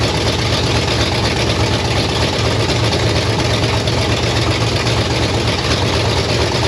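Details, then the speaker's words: 1968 Pontiac Firebird V8 parked 30+ years, revived after new plugs and correcting a backwards-wired coil, running from a fuel jug: loud, steady rumble at fast idle with no gaps, knocks or misses; running evenly. "all right I ret topped off my fuel jug we going to see if this Joker will run one more time just cuz I want to hear it run"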